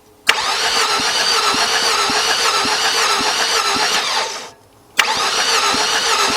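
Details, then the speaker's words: 2003 Nissan Altima 2.5 cranks-no-start, wet compression test after oil poured into the cylinders: starter spins quickly and evenly, about four beats a second, no labouring strokes; still no compression, suspected jumped timing, chain off or worn gear. "It didn't build up no compression, which means it's messed up."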